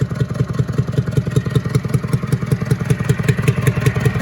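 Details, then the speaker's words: International Harvester B414 tractor diesel freed from seizure, head reinstalled, block getting warm: steady loping beat with a sharp pop back through the intake each cycle; valves need readjusting, probably burning a little oil. "burning a little oil probably, and popping out of the intake still because I need to readjust the valves like I've already told you."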